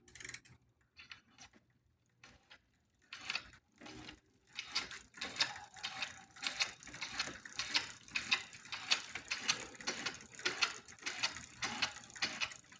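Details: Smith First bicycle: light scratchy tick about once a second or faster while pedalling; first blamed on bottom bracket bearing, actually a faulty crank arm making the chain scrape the derailleur; a new Shimano crank arm was bought.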